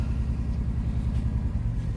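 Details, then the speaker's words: Ford getting a new shock mount and fuel tank, started up; low, even rumble with a steady beat and nothing rattling or knocking, a healthy settled idle that sounds mint. "there we go she's all good she sounds mint"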